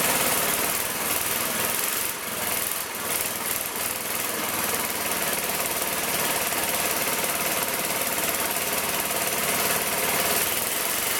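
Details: Magna air compressor with circa-1983 Briggs and Stratton engine, sat 5 years: wandering, stumbling beat with no steady rhythm as choke comes off, likely fuel mixture; leaning it out ran way better, then it shut off.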